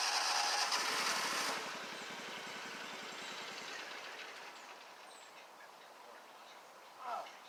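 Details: Scag Tiger Cat II zero-turn, Kawasaki FX691V twin, after repairs, while driving: loud running suddenly drops to a faint sputtering pulse that fades out as the engine stalls; owner thinks it ran out of gas.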